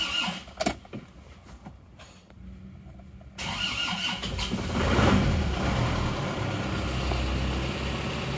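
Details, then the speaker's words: Isuzu Panther diesel after a major repair with all hoses and oil cooler pipes renewed, first start after refilling oil: quiet, then it cranks, catches within a second and settles into a smooth, even idle with no knocks; runs very smoothly. "hidup. Terasa halus banget ya."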